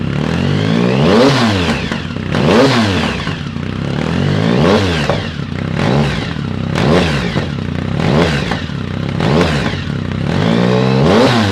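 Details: 2010 Triumph Speed Triple SE with new untuned Competition Werkes exhaust, SAI block-offs not installed: repeated rev rises and drops with crackling pops as revs fall each time; backfire on overrun, cause suspected, not confirmed.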